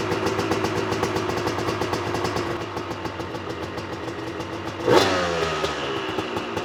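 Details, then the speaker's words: Honda CR250 two-stroke supermoto with Mikuni carb, revved at 3/4 to full throttle: crackly, uneven pulses that sputter out near the top and won't rev, no power up top; main jet too large (rich), per owner. "I'm gonna start the bike up and rev it up and you'll see that it sputters out and it won't want to rev"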